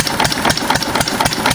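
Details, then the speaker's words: 6 HP Witte diesel-electric single-cylinder engine, about 80 years old, water-cooled, revived after ~30 years with valve work, oil change and fuel cleaning: even steady thumping, crisp exhaust bark, no knock or misses after brief governor hunting; healthy idle. "Governor kind of hunts for a couple seconds until she uh gets in for a good rhythm."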